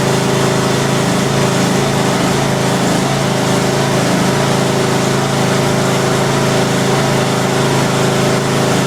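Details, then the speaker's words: Craftsman YTS 3000 tractor, cold start on choke after sitting about two weeks without touching the battery: steady, even single-cylinder chug with no misses, knocks or hunting; running cleanly and healthy. "that started right up that's going to sit in foam what about two weeks think it hasn't been started in two weeks"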